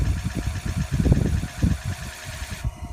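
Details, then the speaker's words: 2004 Ford F-550 after fuel pump replacement on the frame rail, key-on priming to fill the filter: thin, even pump hiss under low thumps, cutting off abruptly near the end; pump primed and shutting off normally, repeated five times to purge air. "You can hear it priming up, it'll stop."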